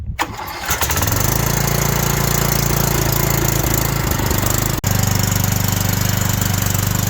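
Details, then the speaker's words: Cub Cadet XT1LT42 riding mower after an oil and filter change, started to back off ramps: brief crank, catches within a second, steady even single-cylinder idle; healthy. "So he's going to start it up. He's going to back it down off these little ramps."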